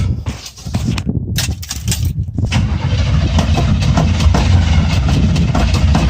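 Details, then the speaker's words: Chevrolet Scottsdale small-block V8 after new ignition parts, not started for a few weeks, choke off; even rapid cranking at about three and a half turns a second with no firing: crank no start. "Does it sound like it's trying to start? Oh, come on, biatch. Did it not just fire?"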